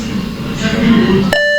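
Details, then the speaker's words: Dell Latitude 3510 laptop with Windows 10, booting Ubuntu 20 installer from USB for dual boot: single clear mid-pitched beep under half a second on selecting USB, then restart back to Windows; fixed by changing BIOS boot configuration setting. "जैसे ही मैं USP select करता मेरा laptop एक beer की आवाज़ देता और restart हो जाता और वापस विंडो में चला जाता है"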